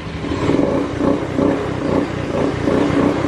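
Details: Honda Beat FI scooter that was sputtering and would not idle, now running with the EOT engine oil temperature sensor unplugged (warning light blinking): clean exhaust pulses and even throttle blips with no stumble; the EOT sensor was the fault.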